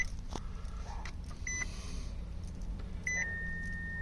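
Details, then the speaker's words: 2018 Nissan Sentra cabin: two short high beeps then a continuous high tone that won't stop; front crash/distance sensor for automatic emergency braking reported failing, code shown, persists after battery disconnect; fix planned by unplugging the sensor. "Entonces tenemos este ruido repetido Este no es tenemos este ruido continuo que no no se quita"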